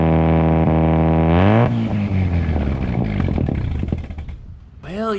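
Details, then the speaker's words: Triumph GT6+ project car, muffler removed, 2.5-inch straight down pipe: loud, raw open-pipe drone at steady revs, then a blip and settle with no boost whistle; turbo not really working. "you can almost hear the turbo whine, can't you? Too bad the turbo isn't really working."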